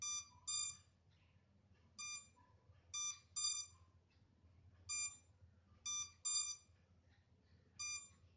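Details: MJX Bugs 3 drone left without a connection to its transmitter: after some minutes it gives sharp, high-pitched beeps in singles and pairs, about twenty a minute, in a quiet room. This is its lost-signal locator alarm.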